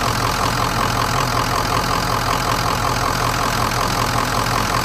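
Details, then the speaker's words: Diesel truck with an unresolved intermittent fault, started after sitting a couple of days (oil filter bone dry), idling with steady even clatter, no hunting or surging; started and runs good, owner considering replacing the high pressure pump; normal idle. "like right now I mean it started up I mean it started up pretty damn good sounds good it's running"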